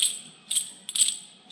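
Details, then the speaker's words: Frick sawmill carriage idler pulley, spun by hand after removal: dry, gritty rattling bursts about twice a second, rising and fading with each spin. Its bearings are destroyed and had stopped turning, and the shaft bolt is worn; worn idler pulley bearing. "pretty sure it was this guy here, because these bearings are just totally destroyed. There's nothing to them. They were not spinning."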